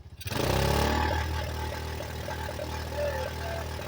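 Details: 1985 Yamaha Moto 4 single-cylinder on its old carburetor, warmed up and on choke: idle surges and dips unevenly, almost dying at times before picking up; stumbling, trying to cut out, old carburetor blamed and to be replaced.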